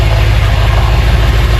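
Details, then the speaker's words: BMW M5 with S63 twin-turbo V8 after rebuild and Bank 2 airflow meter fix, first start with fluids topped up: deep, even idle with a smooth, steady beat, no knocks, ticks or misses, and no leaks. Normal idle. "everything's good, no leaks. So I'm mega happy."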